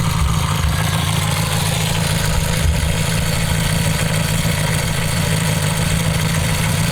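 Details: Homemade four-cylinder CD125four engine (Honda Monkey converted, ver1.1) in the bike at a riverbank: steady idle with light fast ticking from the head under the exhaust note; tappet clearance can't be set properly (no feeler-gauge access), excessive valve clearance.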